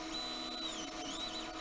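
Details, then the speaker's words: Anycubic Mega X 3D printer, bought broken with PCB smoke, printing a benchy: steady high-pitched stepper driver whine with gliding tones as axes move, faint fan hiss; drivers heard more than motion system, running normally. "On this machine, you hear the drivers and not the motion system."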